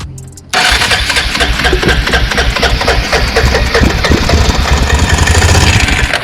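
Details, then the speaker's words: Abandoned 2002 Arctic Cat 375 4x4 ATV being revived, fuel/carburetor issues, new starter solenoid and relay: after starting fluid sprayed in, brief crank then steady, rapid, even single-cylinder firing; runs on starting fluid. "Hey, that's a big improvement. So that's cool. Look at that, it ran. So we know we got, you know, it'll start with carb fluid."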